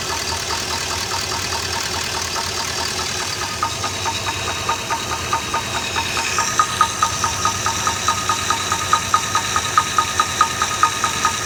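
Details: Chevy LS V8 at idle: sharp, regular knock about two to three a second, traced to cylinder 5 after removing the water pump; piston slap confirmed with head off, piston loose in bore, cam and lifters good.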